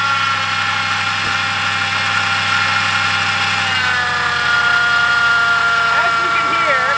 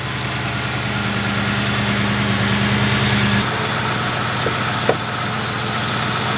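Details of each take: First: 2003–2011 Ford Crown Victoria/Grand Marquis at idle: constant whirring grind from the belt drive riding over the engine; worn idler pulley bearing, fixed by replacing tensioner, idler pulley and serpentine belt. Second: 2003–2011 Ford Crown Victoria/Grand Marquis idling after replacing belt tensioner, idler pulley and serpentine belt with Motorcraft parts: steady even hum, belt tracking correctly, no squeal, chirp or rattle; normal idle.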